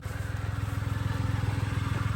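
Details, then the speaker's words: Mitsubishi Mirage after being flooded in a water crossing, oil still milky, only 1 liter added; low, choppy idle with a pulsing stumble; missing, suspected water in the muffler. "Could just be water in your muffler, eh? Yeah, it's missing. Yeah, it needs a good run."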